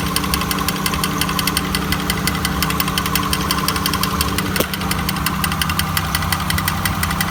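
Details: 1999 Honda Accord at idle with a rough, rasping rattle repeating about three times a second over the engine hum; grinding noise with no clear source.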